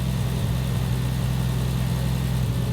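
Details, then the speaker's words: Triumph TR6 converted from carbs to Patton Machine throttle-body fuel injection, cold start next day: steady smooth low rumble at raised even idle, no knocks or misses; idle air control valve open 64 steps, rpm dropping as it closes; normal fast cold idle. "and it's going to drop the RPM so the RPM is so high initially because of the iic valve it's still open now it started dropping 52 49"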